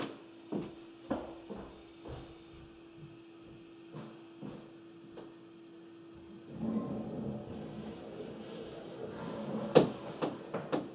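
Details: Water rushes in as the powder-room toilet refills, then sharp repeated water-hammer knocks bang about twice a second, heard through the lower hole cut in the laundry room wall.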